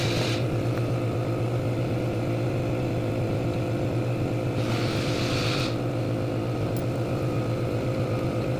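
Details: Chevrolet Lumina after water pump replacement: steady, even engine idle with a low hum and no whine, squeal or knocking; healthy running.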